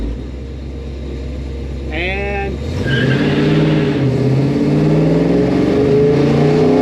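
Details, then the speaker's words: 1964 Chevelle V8 with Holley carb after fixing a fuel delivery problem, warm at 185°F water temp, full-throttle dig shifting at 4500–4800 rpm: roars and climbs strongly, chirps second gear, no stumble; normal acceleration. "spun first gear no problem that's cuz it's not a POS and then when we kicked second gear we second gear chirped it and I was popping gear 45 to 4,800 RPM and it would pull and Rock Sol"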